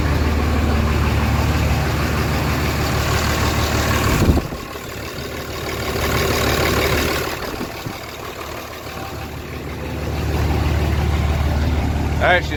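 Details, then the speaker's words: Diesel truck just started after installing brand-new 50-over injectors: idle rumble with a fairly steady clack about three times a second at first startup, source undetermined. Clacking noise at startup. "good I hate that clack in it first that is so annoying but she runs now"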